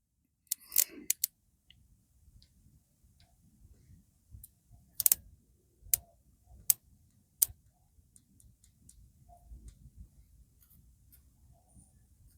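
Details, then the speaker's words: Motorcycle ignition coil bench-tested wired straight to the battery and grounded by hand, old plug cap found dead: sharp irregular snaps, about half a dozen in ten seconds, each a crisp crack as the coil fires; strong healthy spark. "it's jumping pretty good there. Let me see if I can get you close enough here. So it looks like our cap was just dead."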